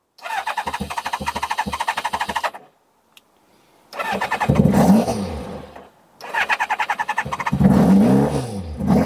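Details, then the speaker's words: Kawasaki ZZR600 that had been refusing to start, cold start on choke: repeated cranking, then it catches and revs unevenly with stumbles. Idle screw later adjusted; owner suspects a slight misfire, maybe running on three cylinders. Rough cold start. "Right, so power on, choke on, kill switch on, wish me luck. That's not too bad. Oh dear. Right, more choke. Oh dear, here we go."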